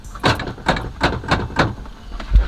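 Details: Oldsmobile Cutlass power door locks, car being jump-started: several short, sharp clunks a few tenths of a second apart as the lock actuator snaps over cleanly each time the switch is pressed; the door unlocks quickly, so only the old switch needs replacing.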